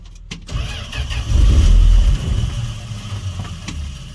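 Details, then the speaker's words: Fargo/Dodge D100, very cold snowy night, jump-started after weak battery: brief crank, catches with low surge then sags and won't hold idle; cold engine won't stay running. "well that was quick but it won't run it's actually really cold"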